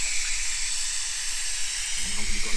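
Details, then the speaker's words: 1978 Jaguar XJ6 Series 2 barn find: constant sharp hiss at header tank cap as cooling system over-pressurises though temperature gauge barely passes half; owner suspects cap lugs need bending for more pressure. "but now as you can see it's it's over pressurizing the game"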